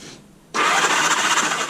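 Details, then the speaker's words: 1978 Honda Gold Wing revived after years sitting, on a jumper box; silence, then the starter catches and spins the engine over steadily with an even whirr. Engine cranking freely on starter. "there we go ladies and gentlemen the engine turned over"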